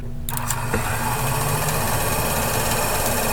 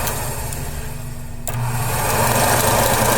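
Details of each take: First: AMC Javelin heater box, blower fan bench-powered from battery charger: steady buzzing whir with uneven rattle, possibly debris inside, sounds better after blowing some out. Noisy heater blower fan. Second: AMC Javelin heater blower motor bench-tested off a battery charger: even whirring hum that rises slightly as the fan speeds up, with no scraping or rattle. Some debris blew out and it sounded better, running smoothly.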